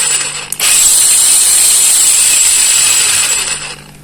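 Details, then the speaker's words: Kamolee cordless brushless battery angle grinder after tightening the bevel gear mesh and greasing: even high whir with a faint gear hum, no rough grinding or rattle; normal gear noise. "Nah ini Coba kita tes dulu untuk suaranya ya sudah kita kasih Gris Biasanya kan kalau ah Ca dulu deh tuh biasnya kerotekotk nah ini Enggak seberapa ya TU tuh"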